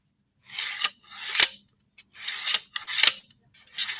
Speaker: that's the standard ball bearing slide that sounds like a murder mystery novel